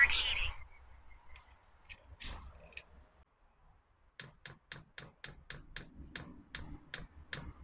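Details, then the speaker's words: Chinese diesel air heater restarting: after handling noise, steady light sharp ticks about four a second, the diesel dosing pump feeding fuel to the heating chamber normally as it heats. "quand on entend le bruit de la pompe là les petits clac clac claque c'est la pompe de gasoil qu'en voit le gasoil dans le corps de chauffe"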